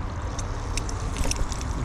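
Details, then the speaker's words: BMW X3 3.0i being bled for an air-lock fault code, coolant at max level with the pump activated: steady pump hum under irregular gurgling and sputtering; some air still trapped in the coolant. "see as you can hear there like some spotter in there so just there is a little bit of air"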